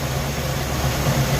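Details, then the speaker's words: Suzy's engine warm at idle with the ignition timing found way over-advanced (checked with a timing light, previously set by ear): an uneven, lumpy low rumble with a slightly hunting beat. Later resetting it to about 10 degrees smoothed the idle. "but check out where the timing is it's way advanced"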